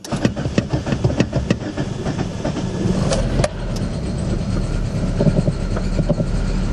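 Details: Chery QQ (Sweet) petrol engine after fuel pump replacement: pump hums at rear, engine cranks with sharp clicks and knocks, then settles to a steady, even normal idle.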